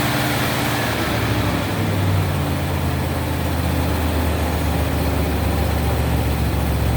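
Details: 1970 Mercury Cougar V8, after a broken engine wiring harness section was replaced so it starts with the key: dense, even rumble holding steady idle, no misses, knocks or surging; running normally.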